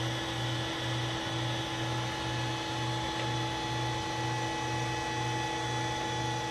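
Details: Allen Bradley MPL-B330P-MK74AA servo motor, test run after repair on an Allen Bradley drive: a steady low electrical hum with a faint even pulse and a constant high whine, no scraping or knocking. Normal running.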